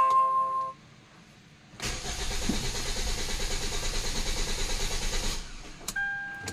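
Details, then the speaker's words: Hyundai Tucson with check engine light, ECU previously repaired, not running for three days: starter churns steadily about three turns per second but engine never fires; crank, no start. "so ito mga boss ang problema niya cranking lang pala to may check engine naman"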